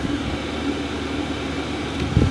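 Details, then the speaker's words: Cheap Vevor diesel heater in a workshop shed running on full tilt, as fast as it can, heat coming through; even steady fan rush with constant low hum, no surging, ticking or rattles; no leaks, exhaust plate stone cold. "so that's on that's actually on Full Tilt at the moment that's actually running as fast as it can"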